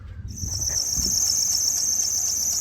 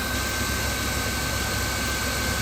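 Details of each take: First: 2000 Chrysler Town & Country 3.3L, at idle before repair: sharp high chirp about four times a second as the belt runs off a tensioner pulley leaning out from a worn bushing, belt losing a rib. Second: 2000 Chrysler Town & Country 3.3L, idling after replacing a serpentine belt tensioner: even, steady hum with faint constant tone, no more chirping or squealing; belt drive healthy.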